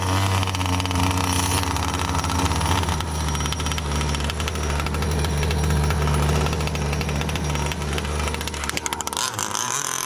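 Sharp, buzzy two-stroke crackle holding a steady fast beat after the start, with no bogging or dying; the little engine runs properly.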